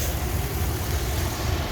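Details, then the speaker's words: 2000 Dodge Ram Van 3500, 5.9L Magnum V8, automatic, about 138,000 miles, check engine light on: deep, uneven, lumpy low idle that wavers near stalling and shakes the whole engine; also loses power around 35 mph, owner suspects fuel pump. "The engine, everything's just shaking because it's so low idle. It's running, but it doesn't want to."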